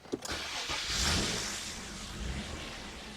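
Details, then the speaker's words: Nissan Maxima before throttle position sensor adjustment: starts with a burst, then settles into a low, uneven idle that sags toward stalling; barely idles and dies; rough low idle. "It barely likes to idle. It'll start and it'll die, and it's just real nasty."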